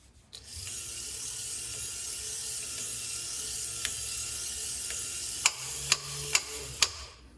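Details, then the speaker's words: 1965-66 Thunderbird / 1961-64 Cadillac power antenna after reassembly: steady motor whir, then four sharp, evenly spaced clicks as spring-loaded ball bearings skip over studs at full travel; normal slip-clutch action, antenna fully down. "So what's happening here is those ball bearings, this is spring loaded, and the ball bearings are skipping over these studs right here. See those two studs? And that tells you when it's done, when you hear that clicking."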